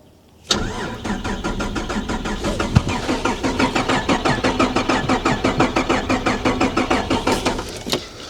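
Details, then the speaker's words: Holden VR Commodore manual: starter turns the engine over in steady even beats for several seconds but it never catches; crank, no start; BCM concluded cooked after key swaps, new BCM and key planned. "Um we kept kept trying, tried a few other things, but yeah, essentially come down to the conclusion that the BCM is cooked."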